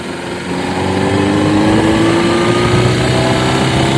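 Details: Honda CBR600RR PC37 at idle: an uneven patter with a thin whine slowly rising over it; a strange noise of unclear source.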